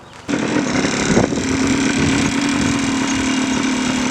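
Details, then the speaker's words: 1989 Yamaha Blaster 200 two-stroke, revived after 15 years sitting, after carb adjustments: small two-stroke buzzing at a steady, even idle with no surging or stalling; holds idle fine, sounds healthy. "Okay, I think I finally got it to idle right. It seems like it's going to stay here and idle like this."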